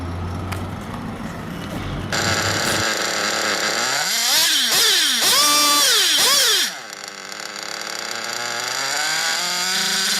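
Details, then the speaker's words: 1/8 nitro buggy engine at idle, fuel line pinched: high buzzy idle revs climb for about a second, then sag and nearly cut out as it leans; correct low-speed (bottom-end) needle setting. "so it should be about 1,1 1,002 and then the engine starts trying to die or it gets lean and it sounds like it's going to cut out that's that way you can tell that your bottom end adjustment is correct"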